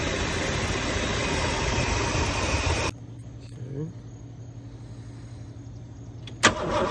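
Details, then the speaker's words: 1963 Lincoln: engine idles evenly and runs fine in neutral, then abruptly dies when put into drive, followed by a restart attempt; it stalls under load and the cause is unknown. "smooth and neutral or flat, it runs fine, seems like it's running fine, but when I try to drive it, it stalls. And I'm not sure why."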